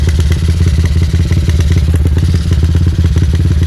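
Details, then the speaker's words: Modified Megapro Primus (mini-cc build, stroke 66, piston 63, standard exhaust) at idle: lumpy, uneven thumping about three beats a second that won't settle; carburetor mixture set slightly too rich, causing unstable idle. "Jadi, mesinnya tidak bisa diam saja, teman-teman. Penyetelan karburator agak terlalu kaya."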